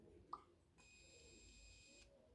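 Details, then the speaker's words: Elephone U2 smartphone (Android 9) pop-up selfie camera raising: a small click, then a thin high motor whir lasting about a second and a quarter; works normally but not very fast. "en effet, elle n'est pas méga rapide. Ça met un certain temps, hein. Au moment où j'appuie, vous entendez le bruit."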